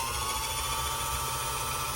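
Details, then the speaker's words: Bernette B65 sewing machine bobbin winder after its clutch was washed, cleaned and sprayed with WD-40: smooth, steady motor whir with no grinding. It made a loud noise when the winder was engaged before the cleaning. "I clean it now it's working fine you see it was making that crazy noise before you see"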